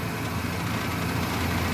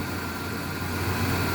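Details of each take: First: Truck at idle with cheap solid engine mounts, not broken but too hard: deep buzzy drone with rattly edge, grille and interior rattling, worse at 2000 rpm; not a misfire, mounts fail to dampen engine vibration. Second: Truck idling after fitting pricier NAPA engine mounts in place of cheap solid ones: smooth, steady low idle with an even hum and no rattles or knocks; the grille and interior no longer rattle.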